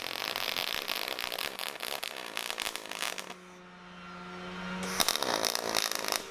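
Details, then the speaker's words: HTP Pro Pulse 220 MTS pulse MIG on 16-gauge steel valance, setting turned down lower: wet, spitting "fart" crackle settles into an even, steady real-pulse buzz that punches heat in without blowing through thin metal. Normal pulse arc. "So you'll hear that as we get away from that kind of wet fart sound, you actually get into real pulse, and that pulse is punching that heat in there but not all the time, so we don't blow through the metal,"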